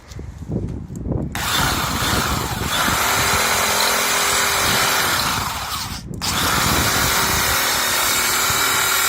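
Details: DIY wood lathe driven by a drill, headstock chuck and tailstock center, spindle screws tightened, sanding a picket: a loud, steady drill-motor whine with sanding scrape and a brief pause near six seconds, running fine.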